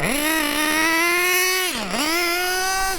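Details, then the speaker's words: Nitro RC car engine during carburetor needle tuning: high, thin scream that sags sharply then climbs; running lean from a suspected fuel blockage, later cleared. "But this is a good example of what it sounds like when there's not enough fuel. That that's not enough."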